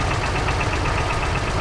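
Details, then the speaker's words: 1936 Ford Model 68 V8 Fordor Touring Sedan at idle: light, quick, regular chatter over a steady idle rumble; source unclear, possibly valve train or an accessory. "you can just hear that just a little bit of a little bit of a chatter"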